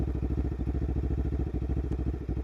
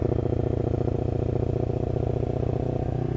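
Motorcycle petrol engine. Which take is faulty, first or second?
second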